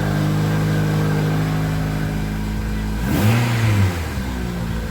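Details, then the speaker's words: 2004 Toyota Matrix 1.8L with about 219,000 miles, after new platinum spark plugs. Steady, even idle with one clean throttle blip that rises and settles back smoothly with no misfire; normal running. "that's what we want"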